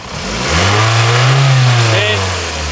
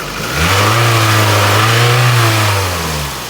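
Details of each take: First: Toyota RAV4 with cable-driven throttle, after replacing the faulty fuel pressure regulator that caused low power: engine revs up cleanly and falls back smoothly, even tone, revving higher than before; now healthy. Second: Toyota RAV4 with cable throttle, revved by hand at engine bay: lazy, limited revving that sags back, poor acceleration and low power; dark carbon-fouled plugs showed rich running, fixed by replacing fuel pressure regulator.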